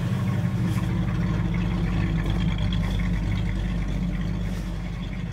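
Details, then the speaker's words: Car with a 400 small block V8, roller cam and roller lifters, about 10:1 compression, described as super cold-blooded: deep, steady idle with an even lope and no knocks or misses, a healthy normal idle. "it's got a 400 small block in it with a a cam and roller roller lifters roller cam uh it's like 10 to one it sounds pretty healthy it's super cold blooded"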